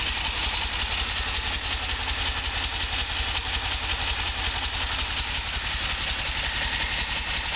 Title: Delorean Rough idle